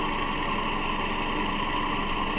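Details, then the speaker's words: 2009–2011 Toyota Camry, 2.5 L 2AR-FE, at idle: a constant rattly whir from the front belt area that sounds like the timing chain but is the idler and tensioner pulley bearings. "You hear that noise down there. Sound like the timing chain, but it's actually a pulley down there."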